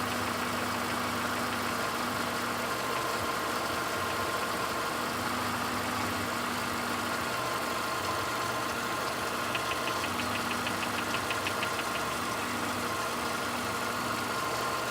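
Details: VW Golf 5 Plus with the BSE engine at steady idle: a light, quick knocking tick through the engine hum; engine knock, cause unclear.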